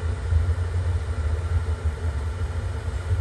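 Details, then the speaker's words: Atwood furnace in a 1996 Ballard travel trailer, running after its circuit board was replaced: a steady, low, even burner roar with no pops or sputters, normal operation. "burning sound through it and that's the good sound let's kick up it's working running feel the heat"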